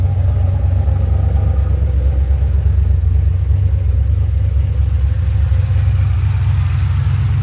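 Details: 2007 GXP with Sloppy Stage 3 cam, VATS and DOD deleted via HP Tuners, first start-up idle after retightening loose front rockers: low loping lumpy idle about two beats a second, no popping or ticking; loose-rocker popping fixed, healthy idle.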